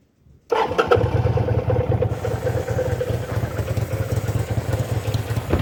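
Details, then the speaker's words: Kawasaki VN800 V-twin chopper, in a build to fix a big engine knock (rotor removed), fires up and settles into a steady, even idle thump with no knocking; a healthy normal idle. "hopefully it'll start without any noises or uh stuff like that so then no more knocking noise I say that's the win"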